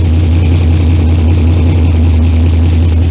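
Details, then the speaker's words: Junkyard LS V8 with HEI distributor, cold idle after oil pump upgrades, oil pressure about 65, running through mufflers only; strong, even low rumble, previous valvetrain ticking gone, only slight ticking on one side; normal idle. "The ticking It went away. That's awesome. Yep. I don't hear nothing."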